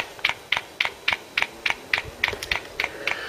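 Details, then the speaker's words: Mk3 Ford Cortina cruise control test, engine running: crisp even high ticks about three a second as the cruise vacuum pump cycles; normal cruise control vacuum pump clicking. "take it cross to the pump while that's going on you could just see it there you'll hear it clicking"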